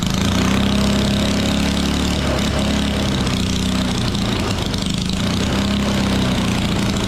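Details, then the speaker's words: 1960s Trojan mini tractor's original small single-cylinder petrol engine, stored about 40 years, first run on a replacement donor carburettor: running fast with pitch wavering up and down; governor seems to be running away slightly. "only slight thing I concerned about is the governor did feel like it was sort of running away a little bit at the engine"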